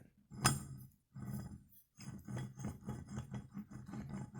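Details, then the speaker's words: 2005 Volkswagen Jetta TDI wagon MK4: rough gritty grumble as the hub is turned by hand, from a badly worn wheel bearing with play, loosened hub nut and ABS engaging at stops; fixed by knuckle/hub assembly replacement. "kind of grumbling sound that's the inside of the wheel bearing and it is definitely bad"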